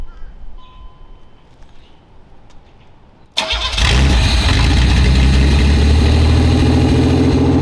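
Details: Barn-find Fiero after engine teardown, cold start injector leak fixed with doubled O-rings and holding pressure: quick crank, catches and settles into a lumpy, uneven wavering idle; still not running right.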